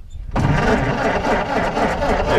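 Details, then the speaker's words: 1923 Ford Model T Touring cranking with key in wrong position so coil boxes weren't buzzing: starter churns steadily but never fires; no spark, ignition switched off. "then the key wasn't in the right spots is what happened and the coil boxes weren't working so obviously we didn't have spark"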